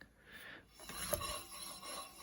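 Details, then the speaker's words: 2003 Mazda Protege 5 rear wheel spun by hand: brief light brake-pad rub, wheel slows quickly, bearing quiet, a healthy wheel bearing. "you hear the brakes a little bit it doesn't turn for that long and it just kind of slows down that's good"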